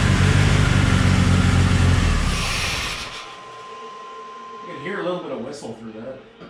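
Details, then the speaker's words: 3.0L turbo boat engine swapped into Chevy S10, during break-in with belt off and wastegate held shut: loud rev drops away leaving a faint thin whistle as it winds down; normal turbo spool. "so i haven't been hearing any turbo noises i was kind of wondering why and the uh the belt is currently off but i just want to do it quick i'm going to hold the waist seat shut see if we can hear some noises"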